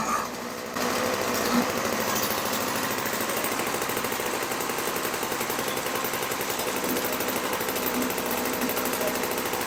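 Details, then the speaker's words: 1980s MTD Snowflite two-stroke snow blower, bought cheap as a non-starter, first start after priming: after a brief pause it catches and buzzes at a fast, steady, even beat with no misses or knocks; sounds healthy. "Well, I'm glad I put my earmuffs on because, man, that sounded like it might have been loud. Okay, so that works."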